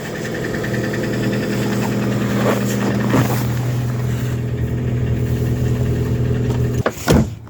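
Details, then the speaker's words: Lada Granta automatic at cold idle, -11°, after removing its clogged filter and cleaning the dirty pan: smooth, steady low drone with no gearbox whine or hum; the cold-start drone that was present before is gone. "Там коробка при такой температуре уже всё равно это гудела. Слушайте, проблема-то ушла. Проблема-то ушла."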